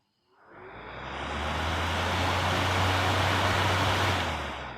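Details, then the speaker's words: Stand fan on a newly wired regulator, set to position 3 (high): a steady rushing whoosh with a low, even motor hum, running hard enough to shake the table; normal high-speed running. "এই যে 3-এ দিয়ে দিলাম, high স্পিডে ঘুরবে, দেখুন"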